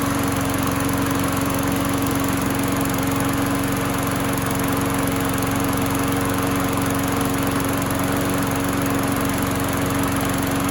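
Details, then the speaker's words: Craftsman lawn mower single-cylinder after flywheel key replacement, fixing popping no-start, after 15–20 minutes running: steady, even buzz, constant pitch, no popping or surging; runs cleanly. "I was about 15 20 minutes of running runs really good happy with this the how this thing turned out"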